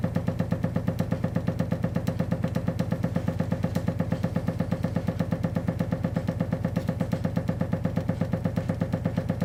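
Very regular sharp knocks, roughly three per second, repeating evenly through the clip like a hammer in the pipes from water hammer.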